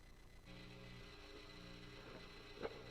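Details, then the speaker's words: BE mini amp head with no noise gate, channel unmuted: low, steady mains-type hum under a quiet room that comes and goes with the channel; amplifier background hum. "there's a little bit of hum coming from the amplifier. I'm not running a noise gate. So if you had a noise gate on it, that would rectify the issue."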